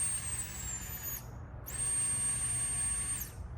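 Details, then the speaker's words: 1965 Ford F100 on a Crown Victoria frame with a 5.3 LS swap, fuel pump tested by touching its power and ground leads to the battery: thin, steady high whine that briefly cuts out and returns evenly; the electric fuel pump runs healthy. "oh yeah y'all can I hope y'all can hear that but that fuel pump's running and it sounds healthy"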